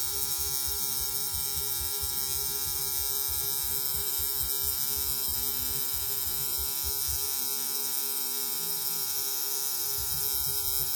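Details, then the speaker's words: Tattoo machine running: fast, even high-pitched buzz holding steady, no stutter; artist uses the noise to judge machine speed; normal operation. "these machines do and can be quite noisy. Um, we use that noise actually. It tells us how fast and the speed the uh machine is running at."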